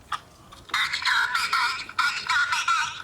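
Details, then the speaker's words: Toy Silver Dalek voice box after motor cleaning, bearing oiling, reassembly and fresh batteries: short bursts of clear robotic voice at steady speed, no dragging or warble; normal voice playback. "OK, so we'll put the batteries in. He's getting proper excited. Yeah. Yeah, that sounds good."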